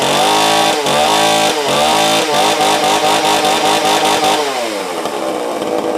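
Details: Tanaka ECS-650 two-stroke chainsaw after fixing a vacuum leak (a nut had vibrated loose) that made it stall after two seconds, lightly retuned: it revs up and down cleanly and picks up quickly, with no bogging or stalling.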